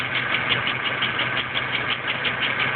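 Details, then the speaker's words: Junkyard GM 3.4 V6 from a 2004 Impala, of unknown history, fitted in a 1999 Alero after new upper and lower intake gaskets, at idle; a steady sharp tick about six a second that persists after 15 minutes, no warning lights; rod knock or rocker arm/pushrod suspected. "all right guys I can't tell whether this is a engine rod mut or if it's a rocker arm push"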